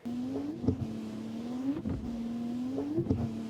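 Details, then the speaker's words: Wipers after fixing reversal noise, heard from inside the car; a smooth rising motor hum on each stroke with only a soft click at each reversal, almost inaudible in the cabin: normal wiper operation. "但其实也有办法让这个声音变小，甚至小到在车内几乎听不到，就像这个样子。"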